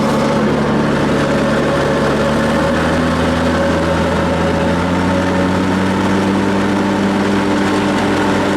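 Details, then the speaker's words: Ferris mower after blade replacement and clearing built-up debris from deck: steady engine drone with smooth even blade whir, slight drag heard; noise sounds better. "I heard that fan noise. It sounded a lot better."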